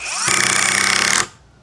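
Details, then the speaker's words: Impact driver with the bit simply clipped in, driving a screw into a fresh hole: about a second of fast, even rattling blows, around thirty a second, then a clean stop; the impact mechanism is hammering normally. "Dobra teraz zastosujemy sobie wkrętarkę udarową tutaj prostu tylko zapinamy i kolejna dziura"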